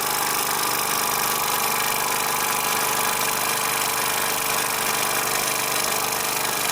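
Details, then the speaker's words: Bowman M140 steam engine, first run on air after cleaning and repairing a safety valve with a rusted spring: fast, even chuffing with a steady hiss; runs smoothly, too powerful to stop with a finger. "very powerful engine hear that my finger out couldn't even stop it trying to stop it look very very strong very impressed with that power"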